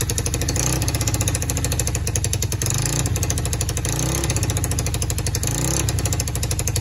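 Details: Free quad (four-wheeler) brought back to life after jumping the solenoid and diagnosing spark and switch: the engine runs continuously with an even firing beat and a couple of mild rev swells, no misses or knocks, sounding healthy.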